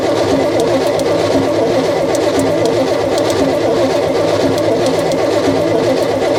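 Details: Long-neglected truck engine cranked with the intake side plugged off and the carb side open. Starter churning with an uneven rhythm, about one heavier beat per second; unequal compression, with a hanging-up valve suspected (possibly bent) and some pushrods barely spinning.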